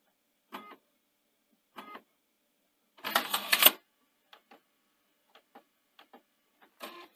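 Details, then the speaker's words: Panasonic DMR-EZ48 DVD/VHS recorder (2011, bought faulty with DVD drive issues, slow boot, U80/U81 errors): DVD drive clicks and whirs in repeated bursts, then one longer grinding burst, while struggling; owner suspects a tray end sensor. "so this deck is obviously not happy um and he hears driving"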